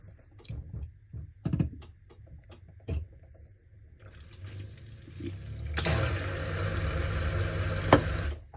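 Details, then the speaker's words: Bosch dishwasher that won't drain, float held up by hand to trigger the drain pump; steady low hum with water swishing and no grinding, so the pump is good. "okay so that tells me the pump is good but if you hear like a grinding sound there's something wrong"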